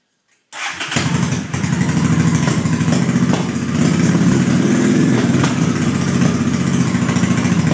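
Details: Pilot screws set at 3 per Dynojet: cranks steadily with uneven compression chuffs, three or four a second, but never catches or runs; still will not start.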